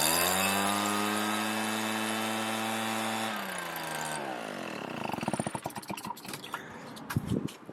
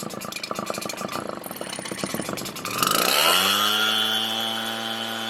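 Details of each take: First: RedMax EBZ7500 two-stroke backpack blower with an aftermarket carburetor and a smaller kit fuel filter: strong, steady drone for about three seconds, then winds down cleanly. It now runs instead of dying. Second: Redmax EBZ7500 two-stroke backpack blower, cold start: ragged pull-start chatter, then catches and climbs to a high wail, running rough; dirt found in the fuel, dumped and refilled with fresh gas, and the fuel filter swapped for the kit one.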